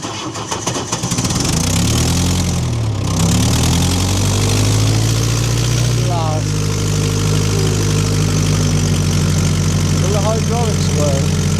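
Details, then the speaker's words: Old diesel with torque converter, standing about 5 months, stiff throttle, third start attempt using heat: slow labouring crank for about a second, then catches and climbs to a rough steady idle near four beats a second; hard cold start. "So, we'll go for the third attempt to start it. Okay, third time lucky. Hopefully, just giving it lots of heat."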